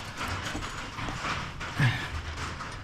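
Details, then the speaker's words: 1973 Chevy Nova parked 37 years: loose irregular clicks as the shift selector moves through positions with lots of play; driveshaft still spins freely in Park, suspected broken shift linkage inside the transmission. "still spins freely so I can hear that it's uh it's it's clicking through but there a lot of play there"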